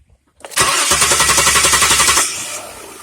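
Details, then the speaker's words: 2003 Saturn Vue after replacement of the faulty camshaft position sensor that had made it slow to start. A short one-second crank, then it catches cleanly into a steady, even idle. Normal start. "it sounds like everything rings up like it's supposed to"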